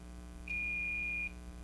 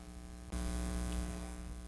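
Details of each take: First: 1951 Jewel AM radio model 956, top-mounted condenser mic, speaker with riveted audio output transformer being checked: clean steady high test tone under a second, no buzz or rattle; speaker reproduces sound fine. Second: 1951 Jewel radio Model 956 switched on via isolation transformer at 119 V; tubes light and a steady low mains hum comes up, no hiss, static or station; set dead apart from hum.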